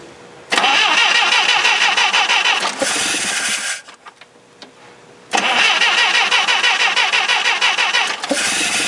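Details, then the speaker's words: Clark C500-45 propane forklift after a tune-up with new spark plugs and wires; the new distributor cap may not have been seating, so the old cap was refitted. Two long bursts of steady cranking at about three turns a second, never catching: cranks but won't start. "well it doesn't start maybe a cap does fit I need to try it tomorrow"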